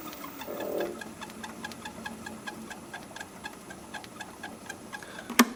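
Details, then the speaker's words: Wood lathe running slowly at 144 rpm: faint quick chirps, several per second, keeping pace with the spindle; suspected belt, unconfirmed. "let's see what it sounds like running real slow yeah I hear a squeak that's 144 rpm"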